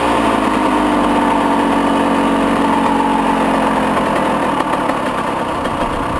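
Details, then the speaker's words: 1996 Honda CR125 two-stroke dirt bike after a fall, throttle cable due for replacement: uneven stumbling idle about three pulses a second; rough idle, cause unclear. "But the idle? Watch, try it. It doesn't idle. It shuts off?"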